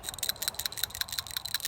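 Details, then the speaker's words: Removed 21 mm PCV valve from a 2004 Toyota Tundra, cleaned and shaken: quick, light metallic ticking as the loose check ball rattles inside; owner unsure if normal, expected more spring-loaded; truck has unexplained engine vibration. "cleaned it out, and that's what it sounds like. Is that normal? I thought other ones were kind of more spring loaded, but let me know in comments what you think."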